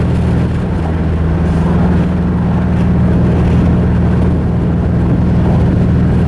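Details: Mazda 3 after the engine blew during a clutch dump: deep, lumpy drone with an irregular loping pulse instead of a smooth hum; rough uneven running from internal engine damage.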